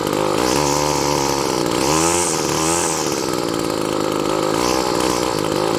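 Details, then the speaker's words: Weed Eater GTI15T two-stroke trimmer on 40:1 gas after fuel line replacement: revs rise and fall unevenly with a thin buzzing note; surging, fuel starvation suspected from fuel line/filter position, not confirmed. "part of reason life feels like it sounds like it's starving for fuel it's because the fuel line right"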